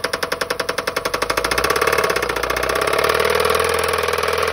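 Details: Toyota Prius run out of oil, with lots of metal found in the oil pan: heavy metallic knocking about 3–4 per second, loud and hard, blurring as revs rise. Internal knock from oil starvation.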